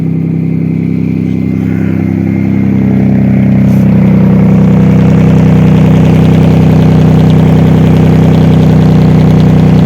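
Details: Mazda Millenia (Xedos 9) supercharged V6 after repair of a knocking engine with worn bearing shells: loud, even idle with open exhaust and a steady low drone, no knock or tapping; bottom end sounds healthy.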